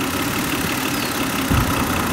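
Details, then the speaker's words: 2008 Hyundai Santa Fe 2.7L idling with P0305 cylinder 5 misfire code, slow acceleration and shaking at stops; steady idle with a brief low thump and stumble, intermittent ignition misfire, suspected bad plug or spark leaking from the coil boot. "i don't know if you can hear the the engine will change and it'll hit we either have a bad plug or we've got spark leaking out of that coil boot"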